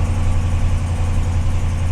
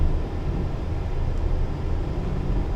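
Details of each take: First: Ram truck that was reluctant to start: low, steady idle with an even rumble and no knocks or misses; the engine sounds healthy. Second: Vehicle idling with AC on, low rumble that swells only slightly when throttle is blipped, revving sluggishly and bogging despite plenty of fuel; possible misfire suspected.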